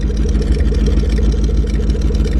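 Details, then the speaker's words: 2012 Ford Mustang Shelby GT500 at a salvage auction: loud deep idle with a loose fluttering pulse, not heard in the engine bay, seemingly from underneath; suspected exhaust problem or clutch chatter, scanner suggests a catalytic converter fault, unconfirmed. "It's definitely making a weird noise. It kind of sounds like an exhaust problem. It kind of sounds like clutch chatter. You don't really hear the noise in the engine bay, but still something's not quite right."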